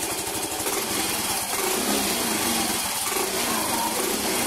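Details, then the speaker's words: Yamaha Mio i125 scooter after exhaust header work to cure backfiring, original exhaust gasket reused: even, buzzy single-cylinder idle with no popping, misfire or rattle; normal idle. "swabeng swabe mga paps pwede niyong i-check dito yan dito"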